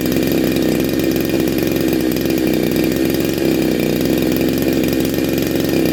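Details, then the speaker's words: Neo-tec NH872 chainsaw (372XP clone) with big bore kit, cold start on a later heat cycle, about 22–25°C: steady, crisp two-stroke buzz holding an even idle without stumbling or surging; running clean. "oh r one all sound awesome absolutely awesome"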